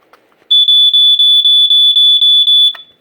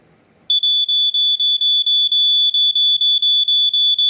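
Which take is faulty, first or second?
second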